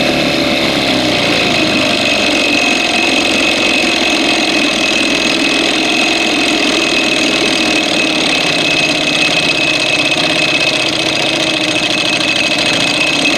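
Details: 1987 Evinrude 4 hp two-stroke outboard, after its ignition spark was restored and during carburetor screw adjustment: a high, buzzy steady note with an uneven, stumbling beat. It is missing, and it dies when dropped into gear. It was later fixed and now runs fine.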